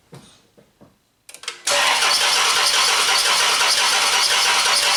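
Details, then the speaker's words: Chrysler 300 with codes P0300/P0302 (cylinder 2 misfire): cranks, catches, then runs rough and uneven with a faint irregular pop. Something is suspected to be hitting inside, possibly a loose rocker shaft bolt with damaged threads; not confirmed. "sometimes I could I could hear they're like popping sound you can tell something is you know hitting something but I didn't expect to see this at all"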